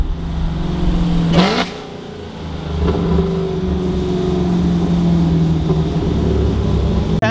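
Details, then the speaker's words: Chevrolet Camaro after an exhaust leak repair: deep, smooth exhaust rumble rising cleanly on revs with no ticking or puffing between pulses; exhaust now sealed and healthy. "no more engine leaks I can hear it it's sounds better y'all I promised it makes a big difference with no engine leaks right now sounds so so much better"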